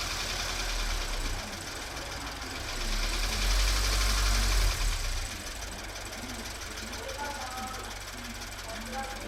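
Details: Subaru BRZ at idle: quick regular ticking near four times a second over the low hum; abnormal engine noise, source unclear.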